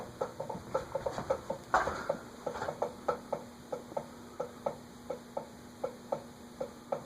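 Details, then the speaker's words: Eagle Grand Duchess ceiling fan (Eagle Fan Corp 2811), new in box, with stiff retractable blades: sharp clicks about three per second with each rotation over a faint motor hum; owner suspects a bearing issue. "Also, it's not, of course, supposed to click like that."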